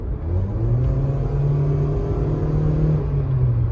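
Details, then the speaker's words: 2010 Nissan Versa (114,000 km) on a test drive after its clogged catalytic converters were replaced. Smooth, even low rumble builds cleanly as it pulls away, with no flat spot or strain: a normal acceleration profile, fixed. "normal acceleration profile and all that. So that's a fix."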